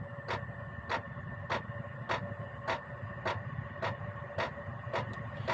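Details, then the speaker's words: Gearlasso 8kW 12/24V Chinese diesel heater in manual gear mode, program 01, the lowest constant setting. A soft, even fuel-pump tick roughly every 0.6 seconds over a low, steady fan hum. Normal low-output run. "And this will run fairly consistently at this low rate because gear one is the lowest if you like constant setting."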